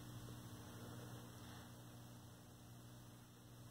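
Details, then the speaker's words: 1932 Aztec cathedral tube radio after clearing a short, fuse no longer blowing: steady low speaker hum with faint hiss, no stations or crackle; powered but not receiving, oscillator suspected next, tubes untested. "I can hear the speaker humming away static if we turn that so it's progress better than it was"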